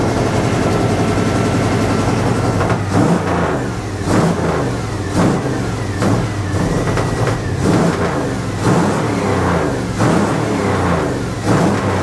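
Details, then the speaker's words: 1980 Dodge W200, Magnum 5.9L V8 with Holley 600 cfm carb, cold, choke wired open: lazy revs that bog on each throttle blip. Wrong 9.5 power valve and jetting led to a full-rich mixture. Rich running. "that's like full Rich what is going on with this thing why in the world"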